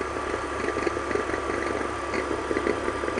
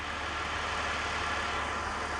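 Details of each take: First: BMW E46 at idle: a faint thin squeak around 1 kHz with irregular chatter. The alternator was suspected, but probing traced it to the belt tensioner mechanism, and the belt is jumping in and out. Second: BMW E46 with a squeak traced to a bad tensioner pulley, now fitted with a known-good used tensioner; even steady hum with no squeal, chirp or rumble; normal belt drive.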